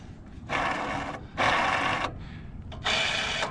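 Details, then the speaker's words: 2004 Craftsman DYT4000 lawn tractor during drive belt replacement: three short bursts of dry, gritty whirring as the idler pulleys are spun by hand; worn idler pulley bearings. "the bearings sound pretty noisy on those to be honest"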